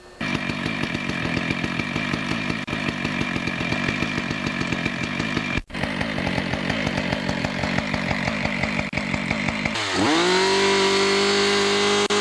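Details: Husqvarna 575XPG chainsaw after clutch repair, started and revved outdoors while checking chain oiling: steady two-stroke buzz rising cleanly to a high, even full-throttle scream. Normal revving.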